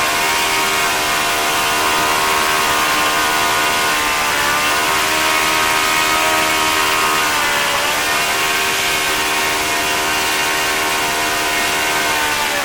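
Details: OS FS-40 Surpass glow four-stroke after bearing replacement and full clean, new Enya No. 3 plug, 11x6 prop: high steady buzz around 9,400–9,500 rpm with slight dips, warmed up, smooth and even. Normal running.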